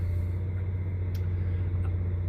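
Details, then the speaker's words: 2000 Sunflyer motorhome generator just started, heard inside the coach while still on shore power: steady deep hum through the walls, no surging, knocking or hunting; generator runs smoothly, audible but not bad. "So I don't know if you can hear that, but the generator is now running in the coach."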